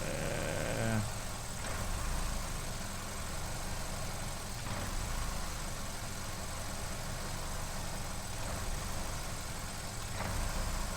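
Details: 2015 Vauxhall Corsa E 1.4 Ecotec with P0300 misfire and P0171 lean codes, lack of power, high fuel trims and injector duty: uneven lumpy idle with wavering rumble and periodic stumbles; no air leaks found yet, cause undetermined.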